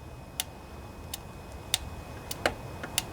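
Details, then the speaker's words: Briggs & Stratton Intek twin-cylinder 20–25 hp riding-mower engine with the fuel pump bypassed and gravity feed: sharp, crisp clicks at key-on with the engine off as the fuel solenoid activates, which is why it earlier wouldn't run on the bench. "you hear that click? That's the fuel solenoid activating, so I think we're good there now."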